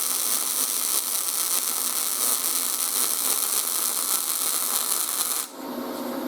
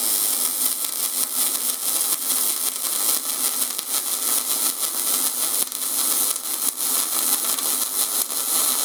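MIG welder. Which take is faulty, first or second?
second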